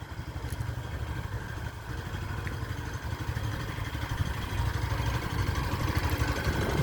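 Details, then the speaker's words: New Yamaha Factor 150, heard at idle from an apartment doorway: uneven light clatter, about three taps a second, over the low single-cylinder thump; owner says the noise came from the factory and plans to complain at the 1000 km service, cause unclear. "eu vou deixar para para reclamar de novo agora só lá na na na revisão de 1000 mas esse barulho aqui barulho é feio"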